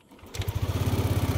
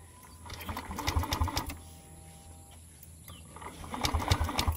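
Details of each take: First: Yamaha Aerox 155 V1 scooter that had been stalling when the engine warmed, after replacing the CKP sensor: it starts almost instantly and holds a steady, even idle for over 20 minutes without shutting down. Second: Aerox 155 V1 scooter stored a month, stalls in use though it has power, no error code; on push start it gives two short bursts of fast chugging cranking and never catches; CKP sensor, oil seal and spark plug problems named.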